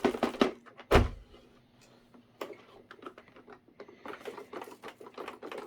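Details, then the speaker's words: Dirt Devil Dynamite vacuum's rubberized wheel turned by hand gives irregular dry clicks and scrapes from debris caked inside; owner also wonders about a clog in the inlets. "It sounds like there's some sort of debris or something caked in here."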